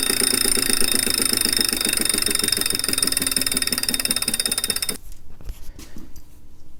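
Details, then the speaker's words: Refurbished replacement 2018 Wahoo Kickr trainer, mic by the flywheel while spun up: fast, loud ticking about three per second over a high whir. Abnormally loud but no vibration, so probably not unbalanced; cause unclear. "that's actually not how it's supposed to sound it isn't supposed to make much noise this one doesn't make the bike resonate though so I'm actually not sure what to do about that it's not supposed to sound like that but it doesn't shake the bike so it's probably not unbalanced it's just loud"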